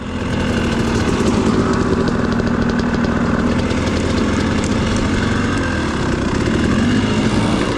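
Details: Two-stroke dirt bike with an XTNG Gen3 Pro carburetor that never tuned well despite adjustments: loud, uneven, burbling idle with a slightly wandering pitch. Sounds rich, possibly close to flooding.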